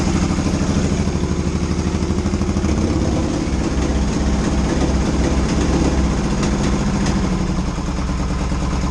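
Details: 1982 Yamaha XS650SJ twin on a lift, low on fuel, test fire after battery refit (dead battery suspected for earlier no-run): slow, steady lumpy idle on choke, even pulses, no misfire; runs fine, idle a little low.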